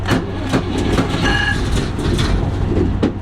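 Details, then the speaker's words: Museum vehicle after fuel pump priming and a couple of accelerator pumps, start button pressed: uneven cranking bursts and a few firing thumps that almost pick up, then die away; engine cranking, nearly starting. "Couple of pumps on the old accelerator. Now we got fuel. Press the old start button."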